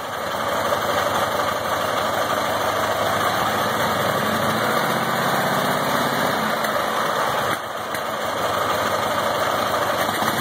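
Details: Ural motorcycle, IMZ 8.103-30 boxer engine, K-2401 carburettor, Sovek ignition, popping back into the carburettor at idle; diagnosed as mismatched timing-gear marks: loud uneven idle with rough irregular pops and a brief stumble.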